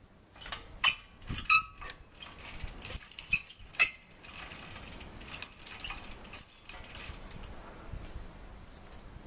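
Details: 10-year-old city bicycle (mamachari): scattered squeaks and clicks, then loud continuous grinding as the crank is forced round. Rusted bottom bracket bearings and shaft seized the crank; parts were replaced.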